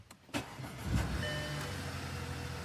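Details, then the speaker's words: Audi after replacing the PCV valve and a sensor behind the intake manifold to fix a misfire, started cold: brief crank, clean catch, then smooth, steady idle with no stumble or misfire; previously lumpy when cold, now normal. "right the revs are steady she's running nice usually when it's cold that's when it runs lumpy she's running perfect"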